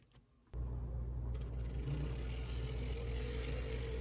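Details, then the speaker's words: Bowser PRR M1 4-8-2 HO steam locomotive kit with a DC71 motor, running on test track after assembly: a soft steady whir from the motor and gears with no catching or grinding; runs smoothly. "works nice and smoothly no problems"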